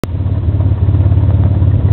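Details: Stealth twin-turbo idling, clutch pedal released: low uneven rumble with faint rattly clatter; noise goes away when clutch is pressed in.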